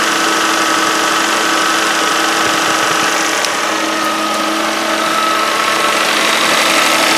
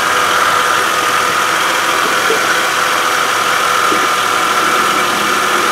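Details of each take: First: 2013 Kia Sorento AWD, 3.5 L V6, just under 80,000 miles, cold start with the microphone close to the serpentine belt: steady grinding groan with a thin whine at idle; owner suspects a worn idler pulley bearing. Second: 2013 Kia Sorento AWD 3.5 L V6, just under 80,000 miles, chasing a pulley noise: steady even whir at idle from the power steering pump, no whine or groan; pump healthy, idler pulley suspected.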